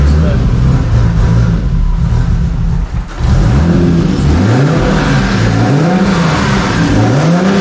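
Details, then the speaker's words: Six-cylinder drive-by-wire car on a base Haltech tune, after the warped intake manifold was welded and fresh spark plugs fitted: strong, clean revs rise and fall smoothly with no misses, now pulling evenly on all six cylinders. "But I don't know that it sounds like it's running on a lot more cylinders now. I don't know if it's running on all 6,"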